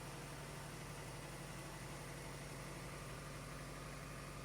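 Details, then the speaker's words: 1997 Toyota RAV4 with steel header and downpipe, newly welded custom exhaust on old gaskets, idling to check welds for leaks: quiet, even idle, soft steady hum, no puffing, ticking or hiss at the pipe; no exhaust leaks, engine healthy. "So far everything looks good, and I don't hear any exhaust leaks."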